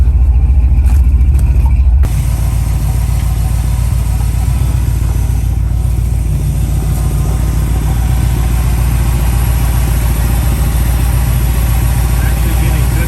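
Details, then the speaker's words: 1969 Dodge Dart after ignition troubleshooting: steady, even low rumble, no misses, idling smoothly and starting instantly, so the ignition is judged good. The fuel filter is empty once warm, and a fuel pump problem is suspected. "so as far as ignition timing as far as the ignition system goes the car is running great"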